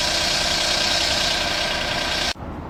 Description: エンジンから大きめの異音が出ているお車のご入庫です。